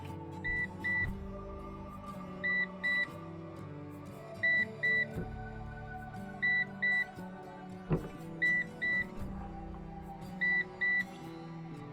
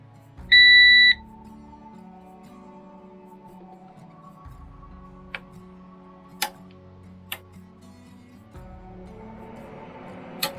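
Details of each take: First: PowerShield Commander RT PSCRT2000 line-interactive pure-sinewave UPS with its hot-swappable battery pack removed while on AC mains; pairs of short high beeps repeat every two seconds over background music. This is the battery-disconnected alarm, which PowerShield says triggers if a self-test starts while the battery is out. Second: PowerShield PSCRT2000 line-interactive pure-sinewave UPS switched on via its On/Off button, on AC mains with 237 V input; a single short high beep, then quiet hum and faint clicks. Normal power-on signal, with ECO mode shown.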